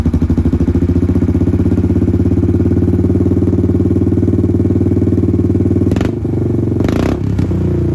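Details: Kawasaki Prairie 300 ATV single-cylinder with a new $40 Amazon slip-on muffler replacing the gutted stock one: strong, even low thump at a steady rhythm, no clatter or misses, a healthy exhaust note likened to an FMF Powercore.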